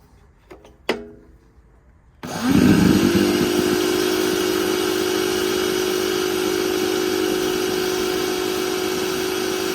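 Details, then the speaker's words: Industrial vacuum cleaner motor switched on: click, then spin-up to a steady high whine with a coarse buzzy edge; one of the rotor windings is failing. "can you hear this sound that's one of the windings on the rotor failing"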